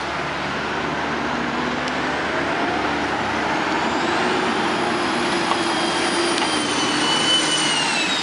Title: EASTERN : Vanhool C2045 6668 With A Loud Turbo Whine @ Allen Street